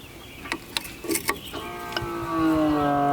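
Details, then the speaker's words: Electric hydraulic pump of a Kodiak disc brake conversion on a 2020 Grand Design Momentum 397TH toy hauler, run while bleeding brakes: light clicks, then a steady, even hum as it reaches pressure; normal pump operation. "So you hear the pump's running, it's up to pressure."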